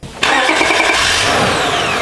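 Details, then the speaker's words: Honda Odyssey with intermittent no-crank no-start, after starter replacement; brief crank then catches first try and settles into an even idle; normal engine start. "so now car is going to go in the vehicle and start the engine for us crank it perfect it's started first try first try"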